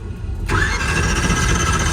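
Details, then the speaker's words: Drag race engine checked for a suspected bearing failure after oil pressure spikes; the starter spins it quickly and evenly with no dragging, then it catches and settles into a steady run, so normal cranking. "let's see if we get the old draggy draggy when this thing cranks up then we know we got a bearing if it spins all over we might be okay let's see what we got"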